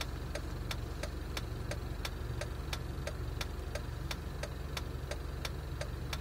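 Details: Jeep at idle: sharp, fairly regular ticks about three a second over a low idle; rough idle, cause unknown.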